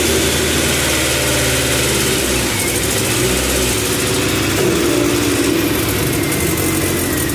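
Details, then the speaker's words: EF Honda CRX, freshly started for first time: lumpy, wandering rough idle while distributor is rotated back and forth to smooth it; they plan to pull and clean the dirty IACV, cause unconfirmed. "all right guys it's idling kind of rough kind of moving the distributor back and forth to get it to smooth out"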